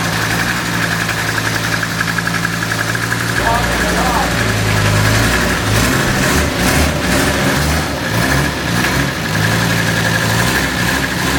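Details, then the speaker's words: 1978 Mercedes 300CD with swapped-in 1984 OM617 turbo diesel five-cylinder, fuel shutoff unhooked: starts and settles into a steady, even diesel clatter at idle with no misfire or stumble; running normally. "She's alive. We need to start it again."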